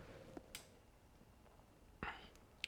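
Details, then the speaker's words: Canon EF 24mm f/1.4 L (first version) ultrasonic autofocus motor, about 20 years old, hunting focus in a dark quiet living room: short sharp clicks and brief buzzy bursts, unusually loud for USM, though barely audible outdoors. "Though for an ultrasonic focus motor, I mean, like I said, it's pretty loud, but I mean, when you're outside, you could barely hear it."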